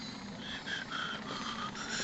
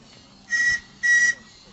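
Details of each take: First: Model steam ocean tug Resolve at full throttle on both independent propeller shafts; the servo-driven feed pump, which sends very little water, is heard as short repeating whirring bursts over a low hum, operating normally. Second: RC steam-powered ocean tug model Resolve with a very small 9 cm³ boiler, at the end of a run: two brief, thin whistle toots cut short as the boiler runs out of pressure; weak whistle from low steam pressure.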